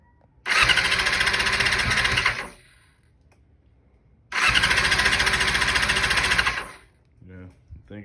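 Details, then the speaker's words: 2000 Yamaha R6 test run after diaphragm replacement, carb cleaning and carb reinstall: two cranking bursts of about two seconds spin the engine freely but it never fires; the tank was empty. "probably the fuel it was indeed out of fuel that's why it would not turn over"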